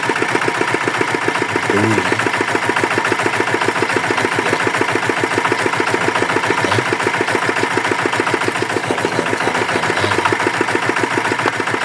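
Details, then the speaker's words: Yanmar DX tractor with Chinese single-cylinder diesel, said to have seized from low oil, after repair and oil refill: steady even thump around 210 beats a minute, no knock; normal idle. "Oke ternyata mesin sudah normal bagus"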